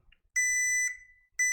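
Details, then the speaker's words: HP PS-4241-9HA power supply repair with multimeter continuity test: sharp steady beep across the diode shows it is shorted; diode and 6R199P MOSFET both shorted and need replacing, while the TNY IC tested good. "the diod is shorted this is is also good let's turn it on let's turn it off yeah so we have this diode and this mosfit they are both shorted"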